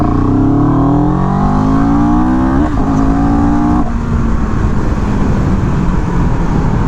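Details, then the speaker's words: CFMOTO 700CL-X motorcycle, pulling from 10 in second gear in Eco then Sport mode: clean rising engine note climbing smoothly under strong pull, then falling away evenly, no misfire or rattle; Eco shows slight lag, healthy engine. "so Eco there was that little bit of lag that I was talking about but that was Eco and then I'll switch it to sport and we'll do the same thing"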